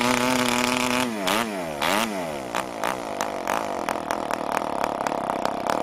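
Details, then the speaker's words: New PAW 40 TBR model diesel engine, first break-in runs on 12x5 prop with recommended break-in fuel on a vibrating clamp mount; buzzy pitch dips and recovers, then uneven popping, deliberately run rich and under-compressed, slightly warm, started easily. "We'll try rubbing it up. Once again, running rich and under compressed."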